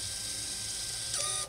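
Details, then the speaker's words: 2017 Honda CR-V rear electronic parking brake caliper motor, powered directly from a battery to retract it for a pad change: a thin, steady, high electric whir that shifts pitch as the piston catches. Normal retraction. "then we'll just reconnect that and then listen to the motor and then eventually when it gets back in this will start to turn"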